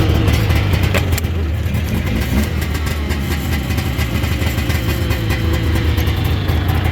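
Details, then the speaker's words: 1991 Arctic Cat Lynx 340 single-carb snowmobile, two-stroke, started on choke, outdoors: busy, crackly idle holding steady without stumbling or dying; idles well. "Let's take it around the yard a little bit. It does idle good too."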